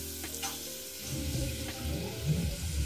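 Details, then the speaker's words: Central heating expansion vessel, air pumped in by compressor after water pushed out: low gurgling and bubbling as air passes through a ruptured rubber diaphragm into the installation; vessel needs replacement. "And we have such a sound. It means that by pumping air here, it gets through the rubber mesh and lands in the installation, whether it is hot water or central water."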